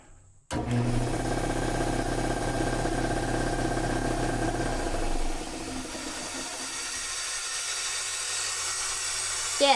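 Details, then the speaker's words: Shop air compressor after a new capacitor, a quart of oil and belt reattachment: motor kicks on instantly with a steady low hum and even pumping drone, holding speed. System open and apparently leaking air. Normal running. "it makes compressory noises."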